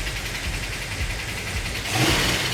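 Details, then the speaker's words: Freshly built 440 Magnum V8, first build with roller rockers and roller lifters: strong, smooth rumble climbing cleanly on throttle blips, no ticking or knock; sounds great, though one or two valves may need readjusting. "that was the first time I've ever done roller rockers and roller lifter so maybe a little earning curve there but it sounds great sounds wonderful"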